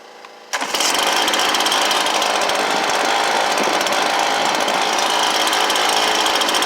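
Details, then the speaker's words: Stihl BR430 blower after replacement carburetor install: loud steady two-stroke buzz holding a high even speed while being set; high idle screw needed only about an eighth turn left; engine running during idle adjustment. "but that only took guys like maybe a eighth of a turn to the left the high idle screw and and that's all it was"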